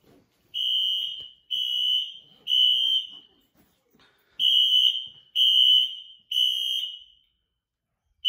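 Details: Apartment building fire alarm, heard indoors, sounding about 5 minutes; loud high-pitched horn in repeating groups of three long beeps with pauses; triggered by a pull station on the first floor.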